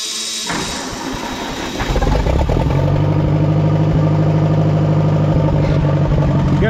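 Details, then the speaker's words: Oliver 550 tractor engine, gas of uncertain quality and oil change uncertain, started before hydraulic pump replacement: cranks briefly, catches at once and settles into a steady, even idle of about three beats a second with no misses; normal start and idle. "I shouldn't have doubted it. thing fired right up. I'm impressed."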